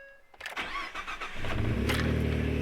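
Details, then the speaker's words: 2014 Ford F150 EcoBoost on an E85 tune, started after installing a DeatschWerks DW400 in-tank low-pressure fuel pump and cycling the key to build pressure. Brief crank, then it catches and settles to a smooth idle with no leaks. Normal start. "start it right up now we're going to kind of watch and look for leaks and make sure there's nothing really leaking seems good sounds good"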